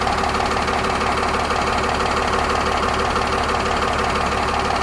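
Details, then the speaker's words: 8.9L Cummins RV diesel just after fuel filter (5526400) replacement, first start: even steady diesel clatter at idle, no stumbles, misses or surging, no fuel leaking at filter; normal idle. "don't feel any fuel loss on that filter, but that's good."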